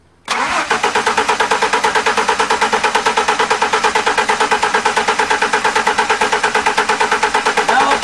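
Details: Free 1998 Ford truck with stale fuel: eight seconds of regular cranking, about two strokes a second, with no firing at all. The engine cranks but won't start because of a seized fuel pump.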